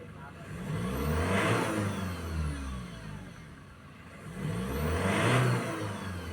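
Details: 2015 Ford Ranger 2.2 diesel after a no-start repair, no DTCs: two clean throttle blips, revs rise and fall smoothly with no stumble or knock; responds normally before test drive.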